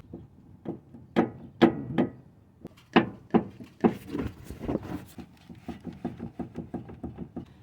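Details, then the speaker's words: 2008 Toyota RAV4 3.5 L, owner suspected steering rack from noise: uneven hollow knocks, sharp then a quicker run of lighter taps, as the rack is rocked; rack and pinion has play and is defective, to be replaced. "Definitely this rack and pinion is defective, it's not good, so we're gonna go ahead and replace it."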